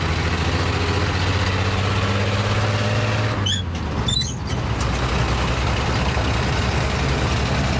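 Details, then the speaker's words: 1951 Chevrolet Advanced Design pickup, six-cylinder, running after about 30 years off the road; needs a water pump, coolant taste noted but running cool: deep, even six-cylinder rumble through the open exhaust while driving, one brief hiss; healthy. "Listen to this 6-cylinder beller."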